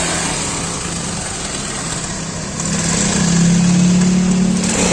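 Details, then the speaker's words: Motorcycle, kickstart-started, running: fast metallic ticking about four per second grows louder as revs rise; engine rattle, cause unconfirmed, tune-up and clearance adjustment planned to remove it. "tinanggal na yung clearings ng ating motor at saka ah tangke ng ating motor kasi i- tune up muna para matanggal yung kalansing ng ating makina"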